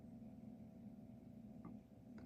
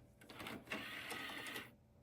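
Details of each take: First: Dell Dimension 4300 Windows XP desktop at first bootup, shutting down: quiet steady fan drone with a slightly uneven rough hum plus hard-drive seek clicks; fan runs rough, cause unknown. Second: Curbside Dell Dimension 4300 running Windows XP, first bootup: brief dry buzzing chatter of the floppy drive head stepping for about a second and a half, no disk inserted; normal boot-time seek.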